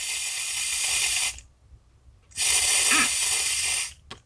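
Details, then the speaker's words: Lawn mower carburetor rebuild after sitting over a year, with the float and pin reinstalled and air blown into the fuel inlet. Two bursts of steady, airy hiss with silence between show the leaking sound, while the rebuilt valve was silent and in good shape. Carburetor float needle valve leak. "you should not hear any noise any airflow leakage I hear nothing if there is leakage it'll sound like this"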